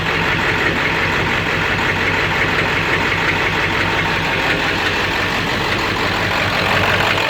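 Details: 7.3 diesel rough runner with no power, after high idle and street mode, going to bypass: steady clatter with lumpy beat and dull knock underneath, owner says sounds like rod knock; raw-diesel puffing smoke, EGTs good, owner stumped.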